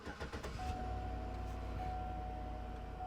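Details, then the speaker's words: Chevrolet Suburban/Tahoe-type trade-in at auction, about 88,000 miles: short crank, fires and settles into smooth even idle with faint steady accessory whine; warning light cleared immediately. Normal start and idle. "good that light went away immediately and no lights on the dash and it sounds rather healthy everything's coming to life here"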